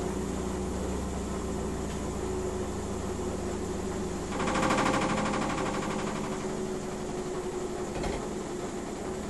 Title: Miele W 5963 washing machine noise problem when spinning Part 2